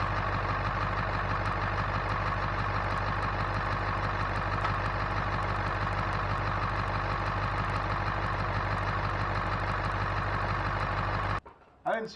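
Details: 2000 Ford F250 with 7.3 Powerstroke diesel, first start after its failed turbo was replaced with a KC Turbos Stock Plus, checking for oil leaks at the turbo: steady, even idle clatter for eleven seconds, no misses, whistles or surges, then shut off; no oil seen, healthy.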